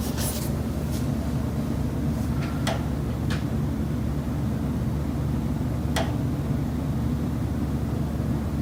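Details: Condo kitchen wall in Chicago, September: scattered sharp knocks, about five in nine seconds, over a steady low building hum; the noises come from common elements that went unfixed.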